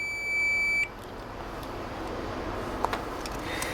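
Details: Cheap Chinese multimeter with its stock board-soldered continuity buzzer: thin, steady high beep lasting under a second, then nothing; a feeble, weak buzzer.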